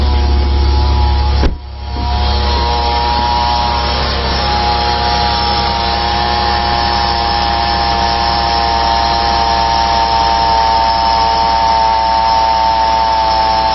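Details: 2008 Mazda Tribute (Ford Escape) 3.0 L V6 at idle, before repair: steady whirring whine of fixed pitch over the engine from a worn serpentine belt idler pulley bearing (203-FF bearing in 15 cm pulley later replaced).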